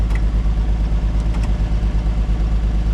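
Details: 1950 Chevy Deluxe converted from 6 to 12 volts with one-wire alternator, warm slow idle with lights on: steady even low thrum, no knocks or misses; charging strongly, runs cleanly.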